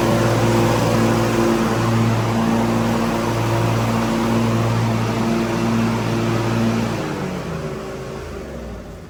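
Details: John Deere Z325E mower after drive belt replacement, throttle all the way up: steady, even hum for about seven seconds with no slapping or squeal, then shuts off and spins down.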